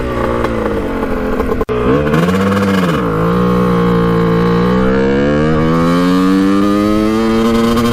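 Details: 1989 Kawasaki KX125 two-stroke dirt bike on its first test ride after a clogged pilot jet was cleaned: revs climb, then stumble and thud (boom boom boom) at the top end, breaking up at high rpm; sounds really lean, power valves to be checked.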